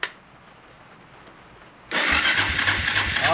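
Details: 1999 Suzuki DR350SE with a newly installed AGM battery: after a quiet pause the starter spins the engine quickly and evenly at about 3–4 beats a second. Cranking is strong, but the engine doesn't fire, possibly because there's no fuel in it.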